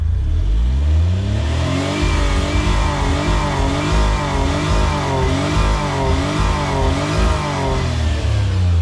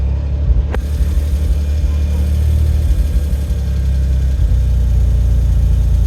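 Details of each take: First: Autozam AZ-1 Suzuki Cara, warmed up after intake manifold, fuel rail, injector and pressure regulator work: revs climb smoothly then cut abruptly near the top, about 6000, and fall to idle; owner suspects reinstalled old fuel rail. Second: Autozam AZ-1 (Suzuki Cara) running the Keisport ECU after new fuel rail, cleaned injectors and regulator: steady low idle with an even beat after a brief blip, no hunting or misfire; smoothest idle yet, normal.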